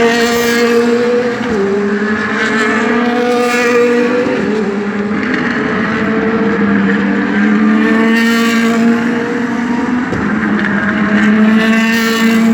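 A loud V8 at speed with a ragged, stumbling exhaust note and uneven beat as revs change: it is misfiring.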